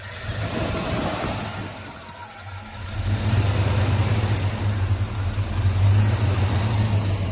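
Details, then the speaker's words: Freshly rebuilt V8 in a squarebody K20 with Sniper fuel injection, warm: rumble swells with throttle then sags and nearly dies when coming off throttle quickly back to idle; owner suspects Sniper still learning. "if anybody has any suggestions about getting here when i was hitting the idle or hitting the throttle there it kind of dies you come off of it quick so please let me know in the comments"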